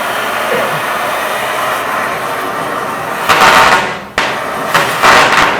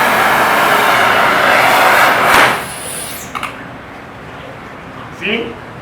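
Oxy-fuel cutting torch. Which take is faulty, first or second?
second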